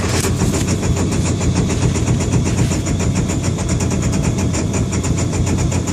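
Idle runs uneven with a quick, irregular ticking pulse over the low rumble, the beat stumbling rather than steady: a rough idle.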